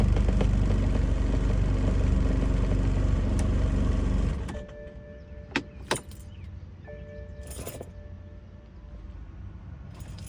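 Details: BMW E90 with N55 engine: about four seconds of steady, fast starter turnover that never catches, then quiet ticking; cranks but won't start.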